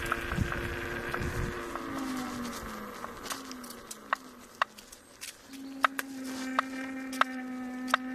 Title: Kingsong S22 new motor knocking noise